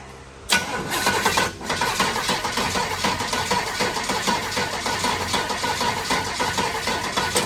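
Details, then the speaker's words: 1932 Ford Highboy Roadster, built 383 roller V8 newly fitted with eight-stack EMPI HPMX IDF carbs on a Pierce manifold: starter cranks unevenly for several seconds without catching; owner suspects flooding; later adjusted and it ran. "might have flooded it"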